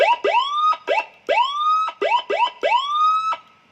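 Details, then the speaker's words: Sirino siren after repair, the faulty TDA2005 amplifier IC replaced with a pin-compatible TDA2004, run on a 12 V supply into a speaker: clean rising whoop tones in quick bursts, each climbing smoothly to a steady pitch; sound normal, fault was only the IC. "Hasilnya juga sama, suaranya juga seperti itu. Jadi tidak harus sama TDA 2005. Normal nih."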